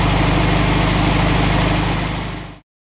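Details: 1964 VW Beetle lowrider after carburetor adjustment (butterfly set): steady, even putter at a smooth idle, regular beat with no misses or knocks, then the engine is shut off cleanly; normal idle.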